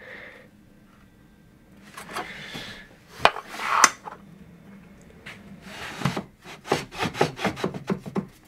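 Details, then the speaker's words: Mitre saw turntable: light, unevenly timed wooden clacks each time the head is rocked in a quiet room; loose play knocking in the turntable, possibly bearings or springs inside. "can hear it knocks on there. Not sure whether to try and take this apart. What could go wrong? It could be ball bearings in here, springs, all sorts of things."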